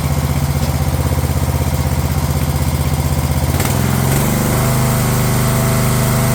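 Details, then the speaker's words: Craftsman LT1000 lawn tractor on a previously rebuilt Walbro carb replacing the poor-running aftermarket carb: single-cylinder engine settles to a smooth, even rhythm after a brief speed change; runs much better than before; normal running. "Funny just how much a machine can change just by just running better. This thing seemed like an absolute pile of crap before, but now that it actually runs half decent, it seems like it's ready to sell already."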